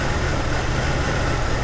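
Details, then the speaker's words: Jeep after 30–40 minutes running, fuel pressure steady: a low idle that stumbles unevenly as if about to shut off. The cause is an erratic, previously replaced aftermarket crank sensor, confirmed on a lab scope of the cam and crank signals. "literally about to shut off see you let me get around here it is just stumbling right now"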